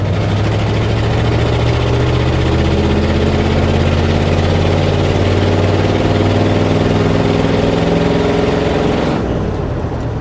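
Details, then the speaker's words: Truck on test drive after timing fix: engine note wavers and drifts up and down, then drops away, stumbling and losing power; owner suspects rust from the fuel tank starving it of fuel. "Oh, here we go again. I got to be sucking junk out of that tank. My tank is full of rust."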